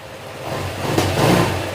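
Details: Honda ADV150 scooter that suddenly stalled and wouldn't start, after repair: even engine note swelling slightly with a light throttle blip, no knocking or tapping; engine now quiet and running normally.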